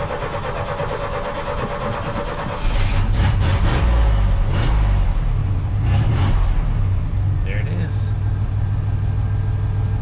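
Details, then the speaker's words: Engine that always struggles when cold, cranked very early on an extremely cold morning, a day after a distributor replacement: slow uneven cranking for a couple of seconds, then it catches into a rough low idle; hard cold start. "again, you heard it. It struggled to start. It didn't want to start, but it started."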